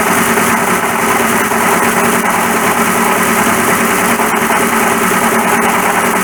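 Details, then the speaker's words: 1941 Ford pickup, replacement water pump: loud harsh continuous grinding racket over idle that follows engine speed, noise suddenly worsened; dry, oil-starved water pump bush/bearing. "It's really horrible. There. Oh, listen. Oh dear. Okay, I'll turn it off. I've heard enough."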